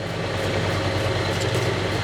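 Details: Vintage Lortone NS/8 8-inch-wheel lapidary arbor running with water on: steady low rumble with uneven shaky undertone from a misshapen drive belt; owner hopes it retakes its form with extended use and heat; base board unsecured, shimmed on uneven table.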